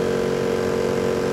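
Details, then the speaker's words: Lennox XC25-048 outdoor AC unit after its failed fan motor was replaced with a Gentaq 5SME39HL HE488 and a 3-blade fan instead of the original 5-blade quiet fan: a loud, steady droning fan hum, audible indoors and much louder than before. "it's just not quiet this is not quiet comfort you can hear this in my house you hear this on in my house"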